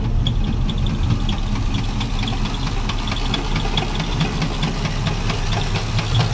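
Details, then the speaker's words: Chevy C10 350 parked years ago over an engine knock, on restart: rough idle with a faint regular light knock over the rumble; rod knock. "I just thought of something it wouldn't be right if I didn't show you the restart 350 Chevrolet boys even with a rod knocking these things are better than most engines"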